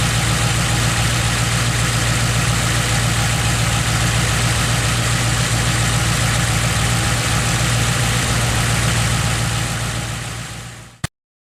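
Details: Ford Modular 3V V8 after fixing cam phaser noise with Livernois phaser lockouts: smooth idle, steady low rumble, no knocking or ticking from the top end.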